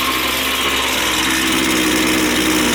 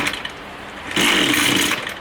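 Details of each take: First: Two-stroke line trimmer after low-speed carburetor adjustment backed off until the head stops spinning at idle: high buzzing holds one steady pitch with no hunting or bogging, then is shut off. Smooth, even idle. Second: Line trimmer small two-stroke, low-speed (L) carburettor screw misadjusted before adjustment: coughs into a brief raspy burst, smokes a little, fades without catching, needs throttle held to stay running; hard starting.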